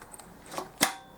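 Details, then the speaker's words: Pit bike throttle with the worn plastic piece removed from the throttle tube, cable alone: soft tick then sharp snap as the carb slide drops shut on release; returns quickly and cleanly, unlike the slow return with the plastic piece fitted. "See that when without that plastic piece in there, you can hear the car returning."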